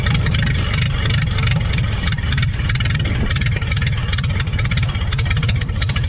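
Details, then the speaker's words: 1930 Ford Model AA Doodle Bug truck, four-cylinder, abandoned in the woods 72 years, started on starting fluid with good spark and compression: low, even chuffing beats with no skips, knocks or rattles; runs steady and healthy like the day it was parked. "there we go we got the old doodlebug up and running after she'd been abandoned in the woods for 72 years she runs like the day she was parked she sounds real good"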